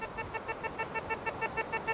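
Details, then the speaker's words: Tesoro Tejon metal detector, about a third turn negative ground balance, over a quarter at 12 inches: fast, evenly spaced bright beeps about six a second; chatter from high sensitivity. "I haven't got sensitivity all the way up that's up but it does chatter quite a bit if you can hear"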